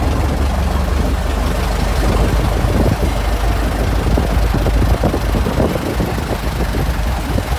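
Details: Restored 1921 American LaFrance fire engine (Licking County Fire Dept.), restoration finished, on a ride: deep, steady low rumble with an even beat and no knocks or rattles; running healthy and strong.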